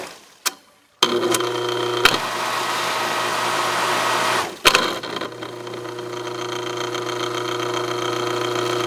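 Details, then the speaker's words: Non-original Aqua-Flo XP2E pump motor on a Dynasty hot tub, heard with the side panel on, switched between first and second speed: steady hum with a thin, uneven rattle from a loose bearing spinning in its housing; pump motor bearing rattle. "So I haven't taken the side panel off of this tub yet because I want you to be able to hear this sound that it makes. Do you hear that noise that it's making right there? Is not normal."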